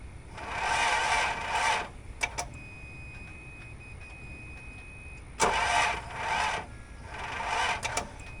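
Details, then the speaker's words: 1984 Toyota Land Cruiser FJ60, long-stored, plugs back in, fuel with Sea Foam and two-stroke oil: two sluggish cranking tries, never catching; slow crank blamed on old dead battery, later jump-started. "What was I expecting from an old dead battery?"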